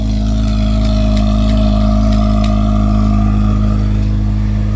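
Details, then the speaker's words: 8th-gen Honda Civic Si with K&N air filter, oil catch can and muffler silencer, after tightening an exhaust leak: smooth, even, loud low idle drone with no puffing or ticking. Exhaust sealed. "i actually had a little exhaust leak tied that down i could hear it here now i don't hear it now sounds good sounds a bit louder"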